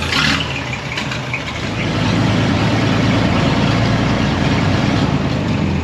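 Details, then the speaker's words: 1926 Maxim truck, Chatham, after ignition, oil pan and fuel system repairs and new belt, cooling system flushed: steady, deep idle with even low chug, no knocks or misses; normal idle. "so the rest of the truck we just checked it out everything works it runs and drives great"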